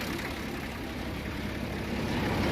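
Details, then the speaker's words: 1961 Case 930 Western diesel tractor, 6.6L 6-cylinder, 83hp, pull-started; quiet, even idle with low steady clatter, no misses or knocks, injection pump working well, some blow-by, not overheating — normal idle. "seems like the injection pump sounds good working well it doesn't get hot"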